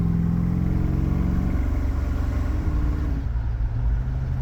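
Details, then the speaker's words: V8 with a new engine meant to make 500 hp but making no power, towing from a stop while data-logging: a heavy, uneven, flat drone with rough pulses and backfiring; running so rich the air-fuel ratio can't be read. "And it's literally so rich that we can't even read the air fuel ratio."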